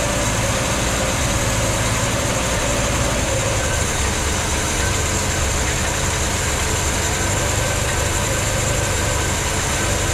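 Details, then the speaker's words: 1964 Ford Falcon after head gasket work, idling once fuel took a minute to come up; the fuel pump was then found leaking. A steady, even idle under heavy hiss, with no knocks or misses, sounds healthy. "Here we go. She sounds good. Took a minute to uh get that fuel up there."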